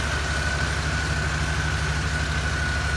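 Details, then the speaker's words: Mercury Cougar XR7 5-liter V8 at idle: a smooth, even low beat with no ticks or knocks, engine running clean; the only noise is a slight fan rub on the shroud. "Motor itself is running nice and clean."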